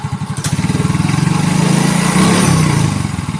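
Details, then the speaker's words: Yamaha Mio J scooter after engine rebuild (previously rough, knocking, smoky, burning oil, oil passages cleaned): small single-cylinder now idles with an even, soft putter, no knocking or rattle; normal idle after repair. "Guys ini Alhamdulillah mioj-nya udah beres nih ya teman-teman bisa dengar suaranya nih jos banget guys jadi adem banget pokoknya"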